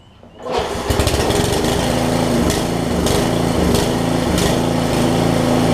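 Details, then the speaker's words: Craftsman 17-inch rear-tine tiller, 5hp horizontal Briggs, probably 90s, after fitting new carb diaphragm correctly: starts on second pull, fast steady chatter with slight unevenness; runs, but leaks gas, owner unsure if gasket or tank. "I didn't expect it to start on the second pull like that but you see what it's doing it's pulled the gas out and it's leaking gas down down through there"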